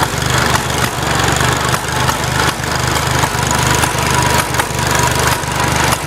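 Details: Farmall Cub tractor started and driven: the engine chugs steadily, broken by sharp irregular cracks and pops roughly every half second to second; cause unknown.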